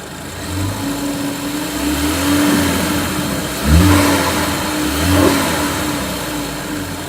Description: Annoying high pitched sound from lower left side of car, increases with rpm - sounds like idler bearing or valve train noise?